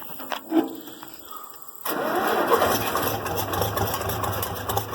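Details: IH Farmall 706 tractor that sat over two years, started after fresh fuel was added and the carburetor filled: quiet, then it catches cleanly in under two seconds and settles into a steady, healthy idle; normal cold start.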